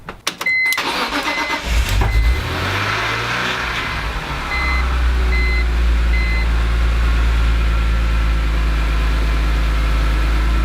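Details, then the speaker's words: BMW E46 M3 race car after a limp mode and an unknown failure at the track; head gasket ruled out and no check engine light. It catches and settles into a steady, even idle with a faint tick, said to be normal VANOS tick; sounds healthy. "Sounds healthy, and this is more or less how it was sounding at the track, not necessarily when I was driving it."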